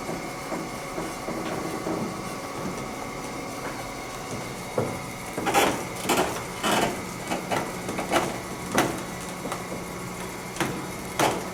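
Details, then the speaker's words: 1920 car elevator, possibly Otis, with wooden rails, climbing one floor: dry creaks and soft knocks about once a second over a faint steady hum; creaking shows the old lift is working normally. "creaking lets you know it's working some old wood your wooden rails"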